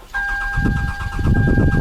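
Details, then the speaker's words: Engine cranks in an even, rapid chug but never starts; fuel can be smelled, so the injectors are assumed fine, and a meter check shows no coil control, with none of the ignition coils firing. "coil control right here at all coils are not firing"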